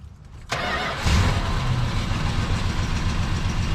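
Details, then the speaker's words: 1973 Dodge Dart V8, warm: cranks and catches quickly, then uneven loping idle; cylinders six and seven dead, no change pulling their plug wires though sparking, firing order checked; earlier lifter noise gone. "but i'm not getting any reaction when i pull the spark plug wires off of number six and seven uh at least i think it's six and seven but um it runs good"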